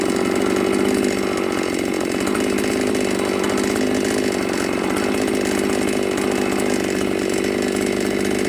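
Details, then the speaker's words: New Magnum G11 chainsaw after removing the carburettor throat restrictor and reassembling the carb holds a high, even buzzing rev with no stumble or dying out; it now accelerates normally and is healthy. "Daเรียบร้อยเรียบร้อยครับใช้งานบกได้ปกติแก้ไขเครื่องไหมไม่มีแรงg11"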